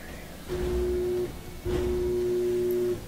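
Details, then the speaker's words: Whirlpool dryer that won't start: two steady electric hums while start is held, motor buzzing and almost turning but not spinning up; jammed blower wheel or dirty motor suspected, motor stalled by obstructed blower wheel. "we have a whirlpool dryer that is not starting it buzzes maker wants to start but it's just won't start"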